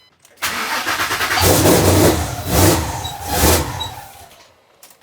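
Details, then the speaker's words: First start of a twin-turbo Mustang built for 1500hp: it catches after a short crank, then surges unevenly in three loud swells before fading out, running rough and barely staying alive. Owner suspects the throttle body, not 130 mm, is too small. "Dude, it sounds crazy. I mean, it's cranking so and it's starting. I think the problem is this is not a 130 mm throttle body."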